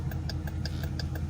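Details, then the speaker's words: 2019 Dodge Durango R/T, engine idling: rapid even ticking about six per second with right turn signal versus normal slow rate on left; turn signal hyperflash from burned-out front bulb. "So, normally with any car, you know, just a little little lesson here. Uh, with any car, if your turn signal is out, normally it'll flash like this real fast."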